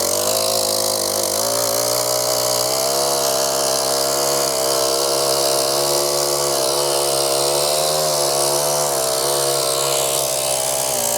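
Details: Brand-new Mantis 7940 tiller, just assembled, with fresh oil and fresh gas: the small engine buzzes at a steady high pitch, even and smooth with no misses or knocks; healthy and running well.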